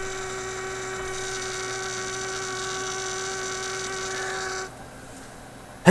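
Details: Heathkit Electronic Projects Kit from 1967, AM transmitter build: a steady low hum with a clear higher tone under everything, then it drops away. It is mains hum coming in from the bench supply; the project failed.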